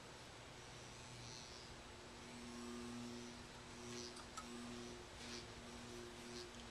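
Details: General Electric ceiling fan from the 1910-1930s, type AH, rated 110 V 60 cycle, with its cloth wiring replaced, run up on a variac with only two blades fitted. Soft, steady hum and an even whir with no ticking or scraping; motor runs normally.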